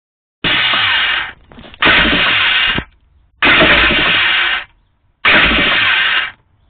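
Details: 1989 Kawasaki 650SX jet ski won't start: turns over once, then four separate one-second buzzing whirs with silent gaps and no firing, something trying to engage; cause of the electrical noise unknown.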